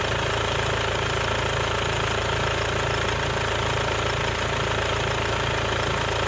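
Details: Mercedes-Benz W204 C220 CDI, OM651 diesel, at idle: steady hard clatter of about three knocks a second over an unsteady, rough beat; faulty injector rattle.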